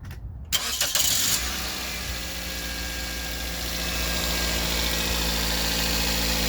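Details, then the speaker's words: 2006 Toyota Corolla 1.8L after spark plug change: short crank, catches at once and settles to a steady, even idle, all cylinders running nicely with no misses. Normal start and idle. "start it up sounding good burn like a kitten like all the cylinders are running very nicely"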